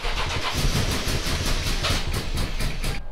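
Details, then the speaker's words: 2005 Tacoma 4x4 with swapped 5.7L Tundra 3UR-FE V8, immobilizer programmed, fuel gauge about an eighth tank: steady starter chug four to five per second with brief sputter, never catches. Believed getting spark; intake off/no mass air reading suspected, not confirmed. "got the truck cranked in and it's actually puting a little bit so I believe it is getting spark but it doesn't seem to"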